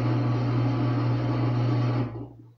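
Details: Samsung WA45T3200AW washing machine, one day old, during calibration with tub not turning: steady low motor drone with coarse grinding hum that then stops; other owners say this is normal drain pump noise.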